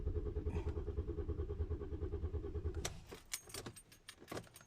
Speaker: i guess i have to try many times before it started but really doesn't run oh god who can help me okay it doesn't run do you hear that i am in trouble my car doesn't want to start